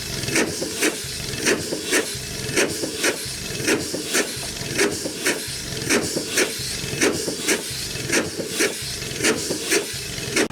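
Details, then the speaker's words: 100+ year old Chicago Pneumatic steam engine/air compressor, first run in decades, compressor head off: slow even exhaust chuffs about once a second with steady hiss between beats; runs well but piston rod packings leak steam. "folks running good welfare I guess it's uh good as we could ask for except as long as it did gonna need some packings and uh probably just some package adjusted and stuff too"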